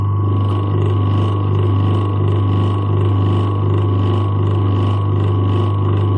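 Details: Old USA-made Century single-phase repulsion-start induction motor, 200 V rated run on 240 V, drawing about 3.27 A against a 3 A rating: steady loud low hum around 100 Hz, faint even pulsing, no knocks or rubbing; running healthy.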